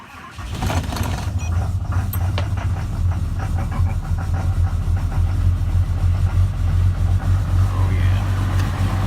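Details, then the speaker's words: 2012 Ram Cummins diesel with deletes, sub-zero cold start with grid heater disconnected and block heater unused: cranks and catches, then a deep, uneven, lumpy clatter; engine power reduced up to 30 seconds warm-up message; rough cold start. "she's not happy. Engine power reduced up to 30 seconds during warm-up."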